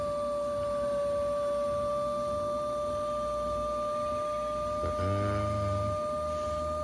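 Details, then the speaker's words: Ford 6.0 Power Stroke diesel with 90,000 miles, reassembled after a stud job, with the lift pump jumpered to prime fuel before first start. Steady, even high-pitched whine at constant pitch, meaning normal priming. "6-0 power stroke priming fuel okay here we go get ready to take it"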